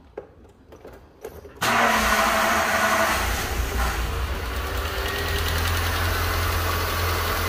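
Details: Ford Fiesta Rocam 1.6 with engine noise: catches and settles into a busy idle with an irregular internal clatter, possibly something dropped inside or a crack near the cover, cause unclear; abnormal engine noise at idle.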